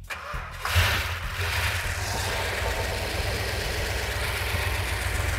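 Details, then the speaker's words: Mopar engine (car still using a ballast resistor) after reassembly, started with clip-on ignition connection: short crank, then catches and settles to a steady, even idle with no misses, quieter as it runs; sounds as good as before. "it goes better get quieter sounds good the engine sounds every bit as good as it did when it was on the engine runs down that's fantastic"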